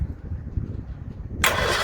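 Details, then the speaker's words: 1964 Bedford CA panel van not run for about 10 years, first crank: quiet rumble then steady free-spinning cranking that never fires; sounds like no spark. "sounds like there's no spark mate because i think that probably fire if it was gonna get that lucky make it a funny old noise"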